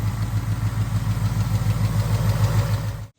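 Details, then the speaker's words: 2021 Mustang GT 5.0L Coyote, idle after Liqui Moly Ceratec and 5W20 oil change: light, quick tick about three per second, stopping sooner than before treatment but not gone; injector-type tick suspected. "And that sound almost is a, you know, traditional injector tick. So it didn't stop the sound completely, but it did stop how long it goes. Still got a bit of a tick, but yeah."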